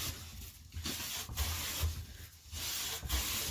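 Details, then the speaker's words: Clifton No. 5½ hand plane after its tracking problem was fixed, planing a board full length: even, unhurried shaving strokes about every second and a half, a smooth steady hiss with no chatter and no plane tracks. Cutting cleanly. "so i believe we're pretty much there let's see no playing tracks at all let's go the whole thing"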